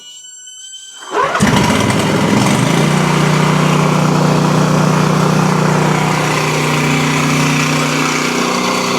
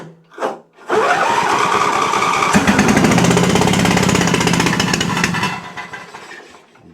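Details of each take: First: Exmark Quest zero-turn mower, Briggs Intek V-twin, after a valve guide repair for bogging and loss of power under load; run on a jump pack. Fires after a brief crank and settles into a strong even beat with loud muffler noise, smoking on one side: running normally on both cylinders. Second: Exmark Quest zero-turn, Briggs Intek V-twin, on jump pack before repair: starts and runs rough and lopsided on one cylinder with very low power and sluggishness; later traced to a valve guide fault.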